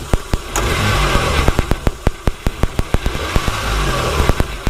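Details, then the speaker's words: Z car after first start, throttle punched: sharp irregular clicks over the engine, a few per second; source unknown, owner fears rod knock. "but yeah so far so good man I did get a little click when I"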